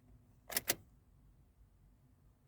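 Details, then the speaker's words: 2012 Toyota 4Runner that cranks but won't start, key turned on in a quiet cab. Two clicks, then only the chime and no pump buzz, so the fuel pump is not priming and no fuel reaches the injectors. Plugs are fouled; the cause is suspected as the fuel pump or the MAP sensor, not confirmed. "Nothing. No priming on the fuel pump. So, we're missing gas."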